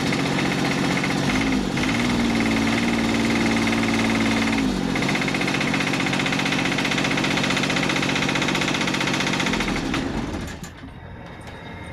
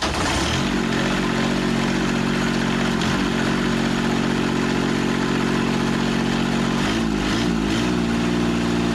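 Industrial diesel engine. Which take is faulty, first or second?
first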